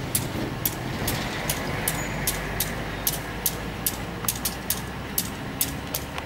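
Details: Diesel locomotive at a station crossing, heard as it pulls out slowly: low diesel rumble with slightly uneven sharp ticks about twice a second; not wheel damage, reportedly its normal engine sound.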